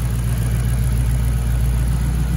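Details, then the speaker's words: 2008 Mustang GT S197 V8 running after lifter, rocker arm and cam replacement to fix ticking; deep even rumble with no ticking or tapping, slight smoke from grease on exhaust; engine runs smooth and healthy. "Alrighty then, everybody, he's up and running. Bad boy's up and running."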